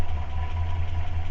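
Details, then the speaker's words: Renault 4L with Cléon 1108 cc engine, stock points-and-condenser ignition before fitting an electronic module: one spark plug grounded out for a spark test, engine idling on three cylinders with a low, slightly uneven rumble; deliberate misfire. "J’ai pris une bougie, je l’ai mise à la masse et par contre la voiture va tourner sur 3 cylindres le temps"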